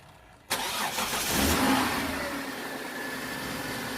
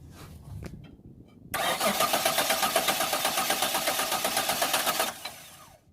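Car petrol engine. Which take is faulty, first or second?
second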